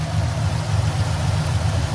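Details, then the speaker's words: 1996 Impala SS with LS swap, newly tuned: deep steady V8 idle held a bit high, faint uneven lope; owner blames tune's raised RPM masking cam, occasional stalling, more tuning planned. "Can't even really hear the cam anymore because of the tune or whatever. It's a little bit, the RPMs a little, they're kind"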